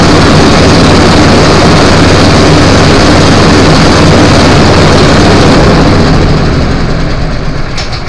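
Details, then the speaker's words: Honda-engine blower after carburetor removal and thorough cleaning, run outside about 10 minutes: loud, smooth, even roar holding steady then settling lower near the end; engine runs properly, normal running. "So we ended up taking the carburetor off from this one and doing a thorough cleaning on it. And what we've got left, I left them outside running for about 10 minutes."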